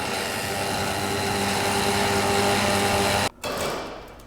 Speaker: Pulling nice and tight. Like it ain't no thing.